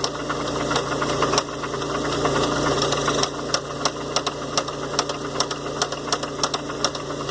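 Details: 1993 Oldsmobile Cutlass Supreme petrol engine idling: sharp repeating knock about three per second over the running noise; owner thinks it comes from around the pulleys or power steering pulley, possibly rods, not confirmed.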